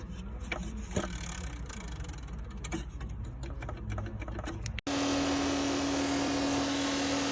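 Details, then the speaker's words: Car radiator cooling fan with a bearing worn by age, use or fan imbalance, possibly with play when moved: even, fast whirring with a steady low hum of constant pitch. Fan bearing noise; replacing the whole fan is recommended. "Este se daña con el tiempo y con el uso o a veces con algún pequeño desbalance que tenga el ventilador propicia un desbalance rotativo que afecta directamente al rodamiento. Si pasa esto, podría haber desplazamiento al moverlo y podría escucharse algo así."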